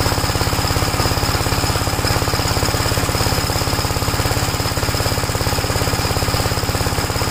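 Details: 1961 Gravely Model L walk-behind tractor, bought running, cold, started without choke: steady even single-cylinder thumping around 200 beats a minute, no misses or knocks; normal running.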